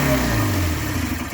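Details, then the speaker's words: Polaris twin snowmobile with a new fuel pump, plenty of fuel flowing from the rail: short, uneven two-stroke buzz that sags and dies, running on only one cylinder. "So let's crank it, see what happens. Look, it's riding on one side."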